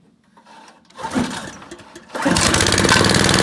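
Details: Honda tiller engine after cleaning a plugged idle air jet to cure surging at idle: a recoil pull, then the small petrol engine catches and settles into a steady, even run; normal idle after the fix.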